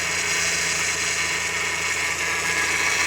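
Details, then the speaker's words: Renault Sandero, microphone right at the power steering pump while steering wheel is turned at idle: thin steady high whine from the pump; fluid level found low, empty reservoir. "isso aqui Gente esse barulho gente isso aqui é a bomba do hidráulico tá essa daqui ó que tá girando entendeu o que é que acontece aqui gente quando gira o volante lá dentro entendeu ela faz esse barulho provavelmente aqui ó o nível do óleo deve tá baixo"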